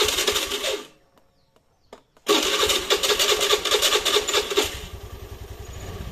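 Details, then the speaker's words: Motorcycle electric starter after repair, cables refitted and tightened: starter catches after a short spin and the engine fires into a steady idle; before, it only clicked from the relay and would not crank. "Oke jadi seperti ini sudah bisa lagi untuk di starter ya Jadi sekarang gak perlu ngengkol-engkol"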